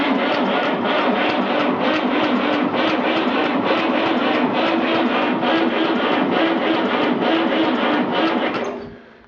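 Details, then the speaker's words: 1959 Fordson Dexta 3-cylinder Perkins diesel, sat about 6 months, cold, small battery, ether sprayed in air cleaner, throttle slightly open: starter turns it over slowly but evenly, about three and a half compressions a second, no firing; battery lacks cranking amps. "think we might need a little bit more ether it's turning it over slow but evenly I think this thing just doesn't have the cranking amps"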